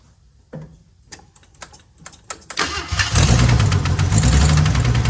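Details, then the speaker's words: 1978 AMC Hornet, carburetor being adjusted at idle: cranking clicks, then the engine catches and idles with a steady low knock about three per second, suspected rod knock; heavy dash vibration, cause unconfirmed. "sure sound like a rod knocking to me surely the guy wouldn't have lied to me but yeah maybe"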